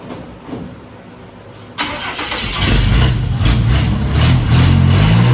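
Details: Cab-over Chevy van conversion, first start before its maiden move out of the garage: a short crank catches almost at once and settles into a steady, even low rumble that slowly firms up; healthy start and idle.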